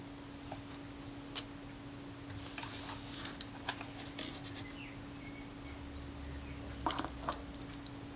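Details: Kodak Retina IIIc camera after servicing and top cover refitted: crisp single shutter clicks a second or two apart with light winding sounds between, over faint room hum; the camera works properly.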